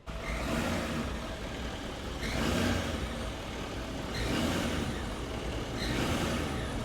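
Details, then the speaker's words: Diesel truck engine revved in repeated bursts; a faint high squeak rises with each rev instead of just getting louder, a sign of an exhaust leak, a costly repair on this engine. "This thing's got an exhaust leak, and on this engine, it ain't cheap."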